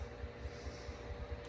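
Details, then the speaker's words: 1936 Grunow radio chassis during restoration work, after tube swaps and a newly installed capacitor: a low hum with a soft, regular throb about five times a second. One tube is suspected bad (not confirmed). "I can hear a pulsation coming through it though yeah still doing it tell us about the can still hear it one of these tubes is bad pretty sure"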